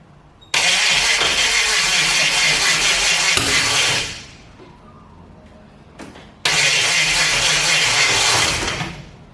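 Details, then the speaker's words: HT Holden 253 V8 swap, first start attempt: two long grinding cranking bursts that never catch, the second fading off. The 6-cylinder-sized battery, bench-charged two weeks earlier, is going flat, causing slow cranking. "And that battery's gone. I thought I charged it up. Apparently not."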